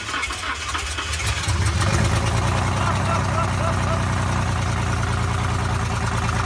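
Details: Normal idle after first start following an engine swap in a BMW X5, oil primed by cranking: engine catches and settles into a steady, low, even idle with no knocks or misses.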